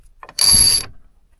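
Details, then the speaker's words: Old Australian-made Barlow 25 self-tailing sailboat winch: quick, crisp run of bright ratchet clicks under half a second, pawl engaging cleanly; reference sound of a normal winch beside one that no longer clicks. "But, what it's supposed to do is this. Well, what it's supposed to sound like. Listen Listen to this one."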